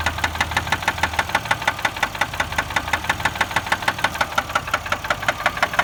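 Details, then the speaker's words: 2004 Chevy Malibu at idle, engine cuts off when put in drive: sharp rapid knocks over a dull low hum that continue while driving and quiet around 50 mph; owner suspects a spun bearing. "but that sound keeps going while you're driving kind of dies down at 50 miles an hour but you can still hear it"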